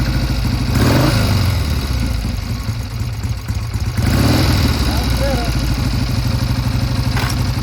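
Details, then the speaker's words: 1971 Triumph T120 650 twin whose left cylinder had been cutting in and out, after pilot jet and adjuster work: steady, even low twin beat with a short blip and no misses. Normal running on both cylinders. "Sounds a lot better. Thing runs like a top."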